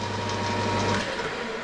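An even machining hum with a clean, steady tone and no rattle or screech: the lathe is cutting smoothly, free of chatter.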